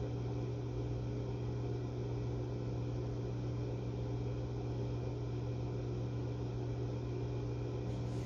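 Heavy, steady low hum with a constant drone and faint fan rush; the outdoor unit is running unusually loud.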